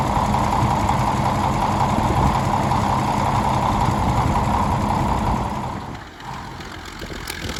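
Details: 1951 D8 2U dozer that sat in a barn since about 1990, big diesel running after first start, blade winch brake band hung up; even, steady chugging at about 160 beats a minute with a low rumble fading near the end, running properly.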